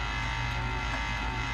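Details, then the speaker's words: GE side-by-side refrigerator with inverter-controlled compressor: constant low hum with rough droning buzz from the compressor, which is hot to the touch while condenser reads about 15 degrees low; compressor suspected weak, sealed system not ruled out. "It's got an inverter-controlled compressor. Listen to that noise. It's definitely coming from the compressor."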